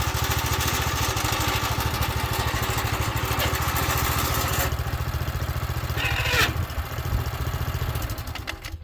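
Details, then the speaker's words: Earthquake Victory tiller after new drive belts replaced a broken one, started on choke at fast throttle and tested in forward and reverse: a steady, even thrum with no misses or knocks. Normal running. "As you can see, we got the drive belts fixed."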